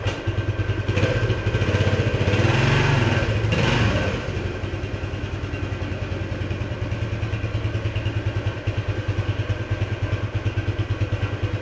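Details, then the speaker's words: 1976 Honda XL175 single-cylinder after restoration and carburetor adjustment, riding: steady thumps as revs swell then fall back without the pull following. The clutch is slipping, worse than before. "so I don't know what the deal is at the clutch it actually slips worse than a bit before"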